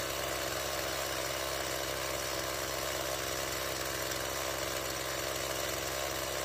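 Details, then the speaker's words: Stihl MS170 two-stroke chainsaw after repair, fuel line replaced and a Chinese replacement carburetor that couldn't be adjusted swapped for the original Zama: smooth, even buzzy idle with no hunting or misfire. It previously wouldn't start and idled far too high. "wymieniliśmy gaźnik na oryginalny, tak jak być powinien, a nie chiński zamiennik, którego nie dało się wyregulować. Piła działa bardzo dobrze"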